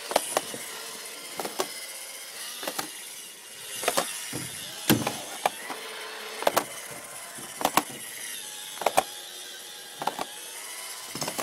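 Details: Roomba robot vacuum: sharp, uneven clicks about once a second over a soft motor hiss, then errors out asking to clean the brush cage; main brush binding or clogged and not rotating well.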